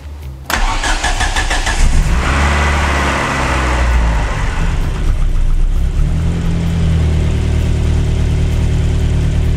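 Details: Ford Focus RS restarted, fuel pump primed first: short crank, catches at once, settles into steady even idle with low throb; slight smoke, starts and runs healthy.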